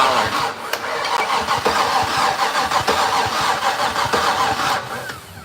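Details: Fatsun (Datsun), first start attempt in 3 years, fuel poured over plug: steady starter churn about three beats a second, no catch; cranks fine but no spark seen at plug, dirty plugs suspected.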